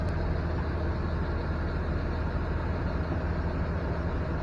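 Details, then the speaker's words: 2007 Mega Cab Cummins diesel with G56 6-speed manual, clutch disengaged at idle: even diesel clatter, little different from clutch engaged, no gear rattle or whine; normal idle. "This is with the clutch engaged. So let me disengage the clutch and show you. There's a little bit of sound difference, but not much."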